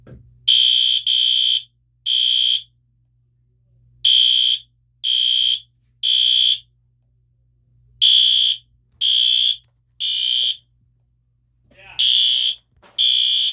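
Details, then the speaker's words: System Sensor PC2W fire alarm horn at low volume, triggered by pull station: high harsh blasts in groups of three, repeating every four seconds; audible, normal temporal pattern. "Pretty loud from over here. I mean, it's pretty audible. I wouldn't call it loud, but it is audible."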